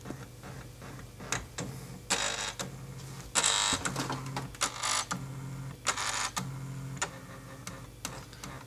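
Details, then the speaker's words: HP LaserJet M2727nf copier showing scanner error 5. The scanner carriage moves in harsh buzzing bursts and forces partway along its travel, not only at the end stop. The owner suspects the scanner motor; the gears seem fine. "il force est normal qu'il fasse ce bruit mais pourquoi il le fait entre temps ce bruit ce que je comprends pas"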